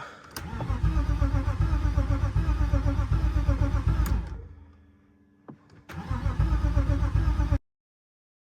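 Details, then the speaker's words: Cheap BMW E36 after bypassing the EWS: starter cranks in a steady chug about four beats a second, pauses, cranks again, never fires; owner suspects one fuel pump isn't sending fuel because only the other is heard kicking on; unconfirmed. "We are going to swap the fuel pump on this side over tomorrow because I believe that it's not sending any fuel."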